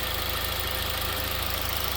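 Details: Honda Civic Type R EP3 after throttle body clean-up: even, steady idle with a smooth low pulse, no misses, knocks, or the earlier hissing from the throttle body. Normal idle.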